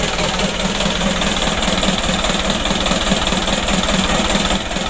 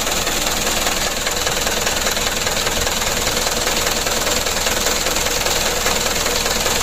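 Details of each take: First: Mitsubishi Canter HDL 136 PS diesel in a tour bus, burning heavy oil and due for piston ring replacement, heard at first start before repair. Even diesel clatter at a steady idle, about 2.5 beats a second, no odd knocks: normal idle. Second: Mitsubishi Canter HDL 136 PS diesel in a tour bus, cold, burning heavy oil (over two liters per trip): harsh, rattly idle chatter with a loud hissy wash; blow-by from worn piston rings, which are being replaced.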